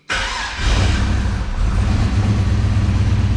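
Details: Turbo LS V8 in a 4x4 Hilux, in neutral on its first start after the motor went back together following pushrod concerns: catches at once and settles into a deep, steady rumble with no knock, misses or popping; runs healthy.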